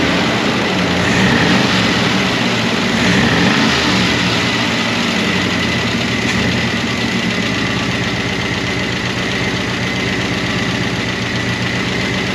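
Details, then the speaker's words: 1988 Monte Carlo SS V8 run after sitting over 20 years, idling on a temporary fuel tank: a light, quick ticking that keeps pace with the idle from noisy lifters/rocker arms. The owner hopes it will quiet down. "Hopefully, these lifters quiet down cuz uh they've been raising cane."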